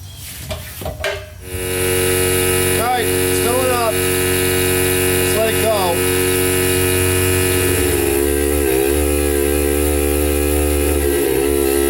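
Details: Old long-unused shop compressor filling its tank, the smaller unit tried first: even steady pump drone with no big-leak hiss, sounds healthy; only a small drain valve leak noted.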